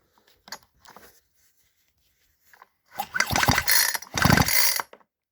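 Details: Two quick rattling recoil pulls spin a nearly new two-stroke chainsaw with no firing or catch; the engine seized from fuel run without proper oil mix, losing compression. Spark is present and the carburettor is wet.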